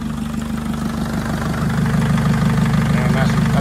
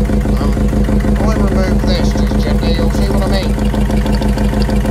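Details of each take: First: Mercedes Sprinter Luton (2006, 904/905), OM611 turbo diesel, first start after engine rebuild, manifold refitted, about 129,000 on the clock: even, steady diesel clatter at idle with a low regular beat, no misses or knocks; sounds very good. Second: Mercedes Sprinter Luton, about 2006, OM611 turbo diesel, 129,000 on the clock: loud, even idle clatter with steady low drone and pulsing beat, blowing heavy oil and smoke; owner suspects combustion gases entering an oil way, possible cylinder one piston issue.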